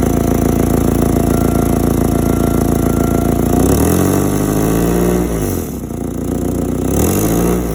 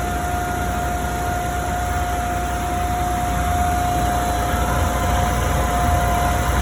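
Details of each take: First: Forklift engine idling and blipped through a few revs; loud, gruff, raspy exhaust note swelling and falling; exhaust leak suspected, not confirmed. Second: Forklift engine, exhaust leak repair context: even steady run with constant mid-pitched tone over smooth rumble, no ticking or puffing; running normally.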